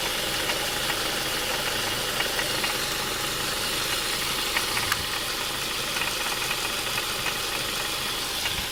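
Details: 2002 Ford Mondeo Mk3, Duratec HE petrol, automatic, at idle; light, irregular metallic ticking and rattling from the belt and pulley end, started a month ago and worse when hot, exhaust apparently not the cause, source unknown.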